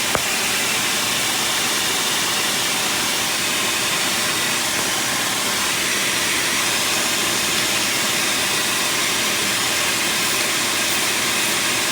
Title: Exhaust leak